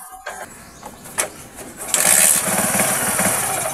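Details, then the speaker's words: Motorcycle after conversion to battery-operated 4-pin CDI ignition: a few cranking pops, then catches and settles into a steady, even run with no misses; running normally. "Ayan mga kaibigan, ang ganda ng andar ng ating motor."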